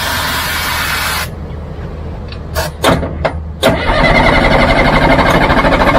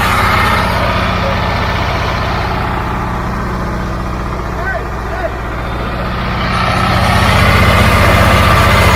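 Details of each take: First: Caterpillar logging machine diesel: loud cranking, pause, then sharp pops as it catches and runs roughly only on sprayed starting fluid; starving for fuel. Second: Caterpillar logging machine diesel engine at a steady, even idle with a smooth low thrum and no knocks or misses after air was bled from the fuel system; engine runs pretty good, normal diesel idle.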